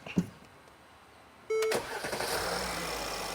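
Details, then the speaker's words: 2017 Mercedes GLS 450 3.0L, codes P0016/P0011: barely a quarter-second crank then fires into steady idle; normal quick start, no long crank, declared fixed. "One hit. One kick, I guess. Two kicks."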